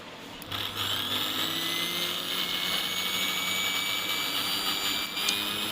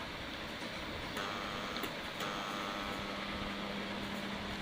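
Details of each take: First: Philips Simply Silent 600W mixer grinder after repair, which previously had a stiff coupler and loud noise: smooth, steady high motor whine with no grinding or rattle. It now spins freely and quietly. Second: Philips Simply Silent 600W mixer grinder on series test board: steady strained hum, fixed buzz, no run-up; motor stalled because coupler is jammed and won't turn.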